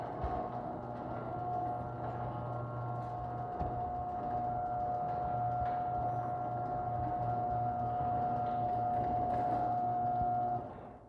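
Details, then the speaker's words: Chamberlain garage door opener on the insulated door with foam padding added: steady motor drone with an even mid-pitched whine, no rattling or buzzing; now sounds like modern chain drives, running smoothly and quietly. "i don't know if you guys can hear the noise difference but this opener is starting to sound like today's chain drives"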